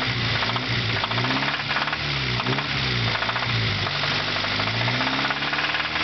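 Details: 1992 Acura Integra DB1 petrol engine revving up and down with a hard, rapid rod knock that follows the revs, as if about to throw a rod, before an engine replacement.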